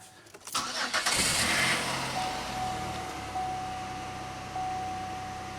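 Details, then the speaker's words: 2001 Pontiac Aztek GT at about 170,652 miles, just after new transmission fluid and filter: engine catches quickly after a short crank, then settles into a steady, even idle with no knocks or misses; engine still sounds good. "but the engine still sounds good"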